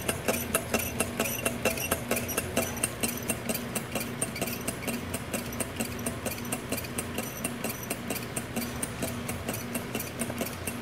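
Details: Stirlingtech LT001 low-temperature Stirling engine running on a cup of hot water: a crisp, even clunk about twice a second that keeps perfect time. Normal running.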